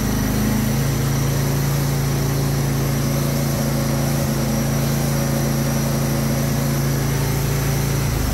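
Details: Husqvarna 22V46 riding lawn tractor, bought used with an ad claiming smoke and a bad head gasket; the single-cylinder runs steady and even at fast idle and when revved to check charging, with no misses or knocks. It sounds healthy.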